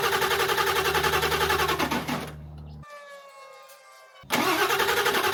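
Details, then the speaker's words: 2001 Ford F-350 Power Stroke diesel (1967 M715 body swap project, truck had rolled over), fuel found dirty but not gummed; even starter cranking that cuts out and resumes as jump packs run low, engine turns over but never catches: cranks but no start. "So I guess with that, probably put it back in and crank it a little bit. See if we can get it to want to fire."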